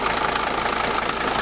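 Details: 1983 Mercedes W123 300TD, OM617 diesel, warm, after mechanical lift pump rebuild: steady even clatter at idle, regular beat, no misses or odd knocks; no leaks.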